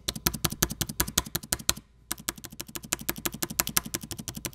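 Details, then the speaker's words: Dell XPS 9570 spacebar after fixing a squeak on its right side by greasing and reseating the key on its metal bars; mic below keyboard, repeated presses give only short crisp clicks, no squeak or creak. Quiet spacebar. "we're just gonna place it back in there and push it down sounds pretty good right now sounds like we got it"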